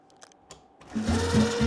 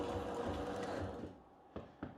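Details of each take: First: Homemade miter-saw elevator gearbox after loosening self-tightening nuts that had crushed it and locked the gears: motor spins up to a steady hum with clean gear whine, running evenly; gearbox turning freely, though it later locks again. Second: Homemade miter saw elevator gearbox: steady whirring gear drive cuts out, then sharp cracks and snaps as it stalls; the smallest wooden gear broke again after replacement with a new wooden gear; steel or acrylic gear considered.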